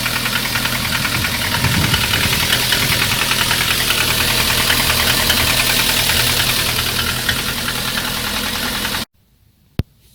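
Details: Lada 1.6 8-valve 11183 engine (2114), ~20,000 km; steady fast ticking knock about 200 per minute over idle, loud when hot; valve adjustment didn't help; piston slap from C/D-size pistons, fixed by fitting E-size pistons.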